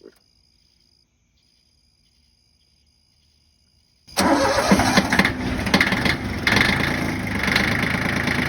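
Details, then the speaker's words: Yanmar 1601D / John Deere 750 diesel tractor after freeing a gummed-up governor rack plunger with lube and cutter: it cranks, catches and settles to a steady, even idle with no surging. Normal idle after the repair. "all it needed was a little bit of lube, a little bit of cutter, freed it up, and it's off and running."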